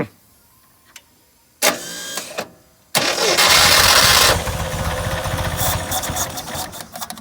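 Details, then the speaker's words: 1969 International Scout, long-stored, restarting with coil hooked up: clicks, short crank, catches and runs with uneven stumbling, hesitating beat because the carburetor accelerator pump is broken and not hooked up. "accelerator pump is not hooked up on this thing it is broke so you gotta kind of deal with it a little bit"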